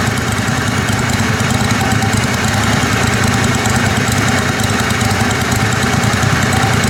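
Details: Kohler Command Pro 27hp lawn mower V-twin after head gasket repair, muffler baffle removed (possibly part of gasket failure): loud steady even note through raw open exhaust, no misses, knocks or surging; normal running.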